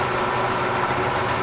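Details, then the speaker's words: Used K&T #2 plain milling machine, spindle engaged, coolant pump turning, running at 195 rpm: an even, steady, mid-pitched gear hum with no knocks or grinding; spindle and gearbox running normally. "okay so far all of that sounds good i didn't even check see what speed we're in"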